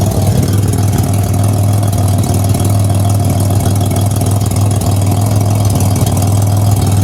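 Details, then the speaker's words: 2007 Pontiac Grand Prix with ZZP XPZ cam after timing chain correction, warming at idle, heard at rear: loud steady idle with raspy puffing exhaust note; exhaust escaping at flange still missing its gasket. "Hear what she sounds like in the back. Sounds like most of it's escaping here."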